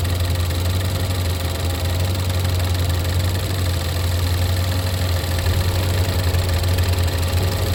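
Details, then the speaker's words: Wife's Lincoln MKC 2.0L EcoBoost turbo, oil slightly low, idling with the oil filler cap off. Steady idle with a low chuffing pulse, no knock. Oil blows out the filler, unlike a Silverado that sucked air in. Owner suspects blow-by and a failing engine. "good but it's blowing oil everywhere whenever I instead of having positive I maybe backwards on that I think positive crank case pressure is pulling it out pushing it out"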